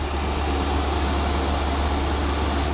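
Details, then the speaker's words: Cheap Chinese diesel heater (under £80) in a Ford Transit Mk8 van conversion, first run after a minute or two priming: steady even rushing roar over a low hum, no knocks or surging; kicking out heat and some smoke, said normal when new. "but it's kicking out some heat it's also kicking out some smoke but apparently they do kick out a bit of smoke when you first get them"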